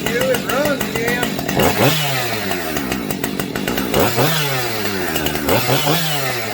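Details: Husqvarna 550XP Mark 2 chainsaw after a gas tank swap: it starts, rises and falls through several clean, crisp revs and settles back to idle each time. It runs properly.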